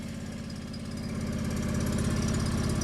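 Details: Derelict fuel-injected John Deere 445 garden tractor with 47 snowblower, first run after a long sit: even, steady low thump at cold idle, a little smoke, no knocks, misses or rattles; running smoothly.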